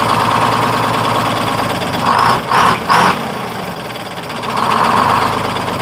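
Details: 1948 GMC Silversides PD3751 Greyhound bus, Detroit 6-71 two-stroke diesel after in-frame rebuild: even idle that picks up sharply in quick blips and settles back promptly; crisp, good throttle response, normal idle and revs.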